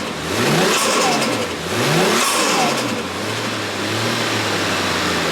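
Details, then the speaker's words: Toyota JZX100 turbo engine, cold, after the turbo manifold gasket was replaced and the bolts checked tight, J-pipe fitted; two quick clean revs then a steady even idle, no ticking or chuffing, healthy. "So as you guys can see, obviously no choo-choo train noises. Car sounds phenomenal."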